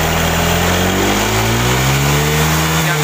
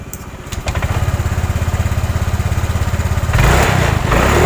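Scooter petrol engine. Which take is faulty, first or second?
second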